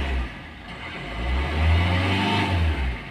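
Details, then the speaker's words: Maruti Suzuki Ertiga diesel with starting problem, suspected poor diesel supply from pump or injectors: revs surge and sag unevenly then fade, check light on, engine stalls and won't restart; engine stalls when revved. "कुछ ही second में बंद हो जाएगा देखिए metre पर check light भी आ रहा है"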